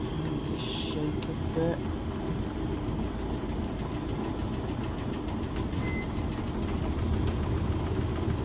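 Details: Heavy low rumble and uneven thumping from a Beko WS832425s washing machine on its first intermediate spin with a bulk load; the drum is very unbalanced, with suds lock and dripping.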